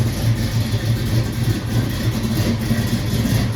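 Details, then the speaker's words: 1968 Mercury Cougar with newly swapped 347 roller V8, after break-in revving, before first test drive; loud, slightly lumpy V8 idle with steady low beat, no misses or knocks; started fine, slight oil leak remains: normal idle. "Started up fine. We got this thing buttoned up."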